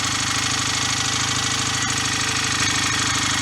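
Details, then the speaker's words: BSA A65 twin just after a full top-end rebuild with new piston rings: steady, slightly lumpy idle at about three beats a second with no misses. Owner may reset the tickover, which was set earlier with fouling plugs and likely slight compression loss. Normal idle. "I might have to set the tick over up again, because I was chasing a tick over before with the plugs fouling and probably a slight loss of compression too."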